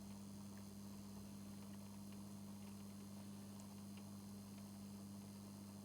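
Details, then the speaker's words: 2019 Lynx Ranger Pro forestry snowmobile, high mileage, newly fitted coolant pre-heater plugged in: quiet steady even hum, no knocking or rattling; circulation pump running smoothly, warmth and coolant movement felt. "Well, we can hear the pump running. And I can feel some warmth. And we have movement."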